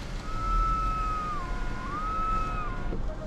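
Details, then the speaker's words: 2023 Volvo XC40 Recharge Twin electric SUV in a garage: thin steady whistle that dips and rises while the rear window motor runs, not heard earlier that day; rear window doesn't go fully down; cause unknown. "Wow, I didn't hear that whistling sound today when I was lowering it before."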